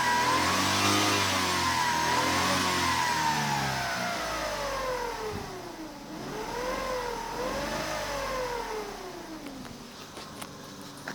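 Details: 2005 Vauxhall Corsa C 1.0 litre petrol: clear whine/drone rising and falling with revs, present since a new timing chain and water pump were fitted two days earlier; cause unknown.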